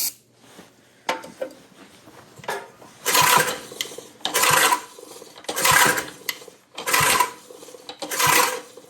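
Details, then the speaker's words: Simplicity Serf 515 lawn tractor, points sanded and recoil fixed, cranking on starting fluid: rasping bursts about once a second, just the starter gear meshing on the flywheel. "worry, that noise is just the the um the mesh on the flywheel."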